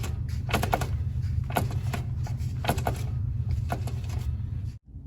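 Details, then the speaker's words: Front-drive car's transaxle with serious internal damage (car can't exceed 10 mph; drive wheels lock up and can stall the engine): passenger front tire spun by hand in neutral gives irregular metallic clacks and rattles, like loose ball bearings or broken internal parts tumbling inside. "Sounds like there's some ball bearings rolling around in there. Maybe other kind of parts, broken parts."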